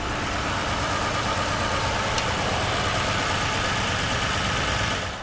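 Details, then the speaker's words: 2006 Ford Explorer 4.6L/5.4L V8, after a 15-20 second right-side cold-start tick from a leaking, warped exhaust manifold: even steady idle with no ticking; sounds normal once it has run briefly. "and now the engine sounds normal once again there's no no more ticking type noises coming from the"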